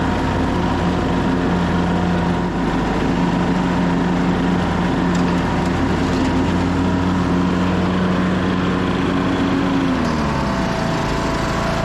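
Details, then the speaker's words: 2014 Craftsman T1600 lawn tractor, single-cylinder, blades engaged after deck refit with tightened belt: steady drone with blade whir, even speed until winding down; normal mowing. "so I think that's a lot better let's fire it up and see if it cuts better it's much better"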